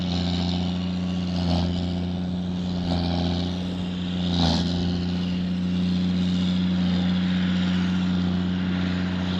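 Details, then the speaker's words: 9320 tractor pulling a 6,000-gallon manure tanker: deep, steady diesel drone with an even low hum under load; strong, healthy running. "And if you can hear that 9320, that sounds a lot meaner than that 9410."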